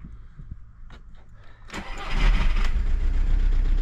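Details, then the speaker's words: Audi/VW TDI 130 diesel on a morning cold start: fails first attempt, starts on second, then runs loud and harsh with heavy uneven clatter and vibration; owner is 99% sure a faulty injector, not confirmed. "deuxième coup ça marche mais ça fait trop de bruit c'est horrible"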